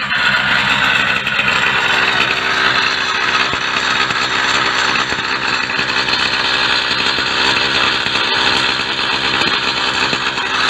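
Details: Mk4 small two-stroke motorcycle idling at home after a 40 km ride, with a harsh, raspy buzz from an exhaust leak at a blown exhaust gasket; engine otherwise running well, no smoke.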